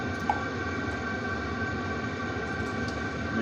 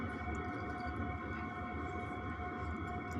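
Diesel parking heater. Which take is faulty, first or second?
first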